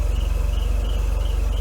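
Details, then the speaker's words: Mercedes W124 after head gasket job (overheated from failed auxiliary fan), cooling system flushed, running without thermostat while warming up: idle with a high chirping squeal about three times a second from worn air pump bearings; water on belts. "not can hear the squirrel of the air pump [Music] bearings"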